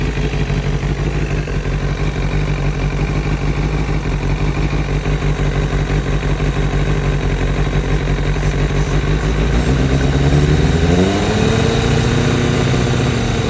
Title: Seems to be a vacuum leak ( Somewhere ) ?